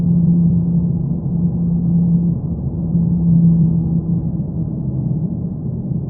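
A deep, steady drone that swells slightly and holds a low tone with nothing sharp on top; a droning noise, source not pinned down.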